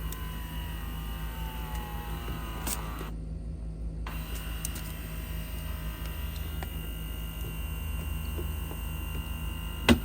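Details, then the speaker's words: Samsung RF28HFEDTSG/AA refrigerator bottom ice maker (error 33C, fill tube problem), reset button held: quiet fridge hum, faint whirring as the ejector arm moves, then a ding; reset cycle completing normally. "and then you'll hear a ding. That just reset our ice maker."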